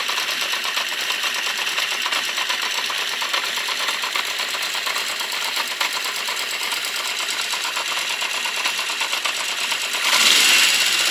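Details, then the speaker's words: Honda CB650 Custom idling after warm-up from a very cold start: fast, light ticking at about three per second over a thin idle, slight backfiring. The owner suspects valves on cylinders 3 and 4, or the clutch or cam chain area. "Second, the ticking noise, I think, is coming from the clutch or from the cam chain area somewhere, and also on cylinder number 4, which is on the other side of the bike. I think I can hear the valves ticking."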